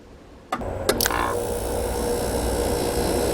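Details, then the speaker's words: New old stock 1988 Sears Kenmore 6000 BTU R22 window air conditioner on power saver, test run after a year: quiet, then compressor clunks in and settles to even hum with soft refrigerant hiss; healthy start. "already hear the refrigerant flowing good old r22"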